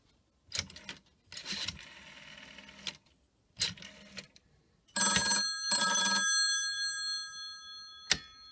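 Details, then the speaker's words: Style 103 telephone on a PBX, ringing after a call to the operator (dialed 0): short bursts of clean metallic bell ringing with pauses and a clear ringing tail; the bell works normally. "dial zero for the operator and there we go it's ringing we'll hang out now anyone with style 103 because you can hear phone ring"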